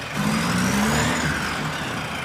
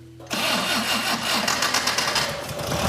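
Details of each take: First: Circa-1965 VW dune buggy, air-cooled 1200 four-cylinder boxer with four-speed transaxle, after repairs for an earlier screeching grinding noise: engine running with a faint scraping squeal steady with revs; something rubbing, perhaps the fan shroud, judged ignorable. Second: Circa-1965 VW dune buggy, air-cooled 1200 four-cylinder boxer, 40 hp, sitting outside for years: first start on 11.8 V battery after added fuel, catches at once into an even air-cooled chatter with oil pressure and no knocking or misfire; runs perfectly.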